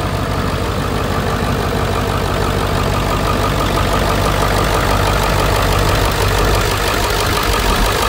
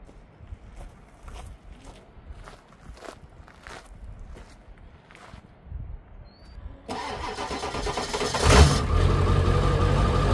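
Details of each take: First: 2001 Ford F250 7.3 Powerstroke diesel, after alternator replacement following battery issues: steady diesel idle with even clatter at constant speed, no misses or stray knocks; engine running normally. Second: 2001 Ford F250 7.3 Powerstroke diesel, before an alternator swap, batteries reading about 38 with loose connections: slow, labored cranking with faint ticks about three per second for several seconds, then it catches and runs loud; hard start from weak batteries.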